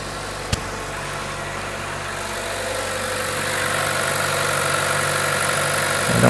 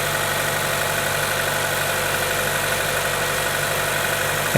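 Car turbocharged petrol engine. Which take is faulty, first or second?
second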